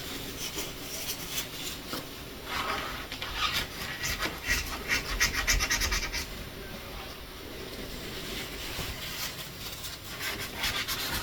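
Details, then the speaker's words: Door hinge that had started squeaking over the years, after spraying silicone lubricant on both sides: a dry rasping scrape as the door swings, only a faint squeak left, while the lubricant is worked in until the squeak goes away. "There's a little bit of a scrape, so I'll just kind of work that in until the squeak goes away completely."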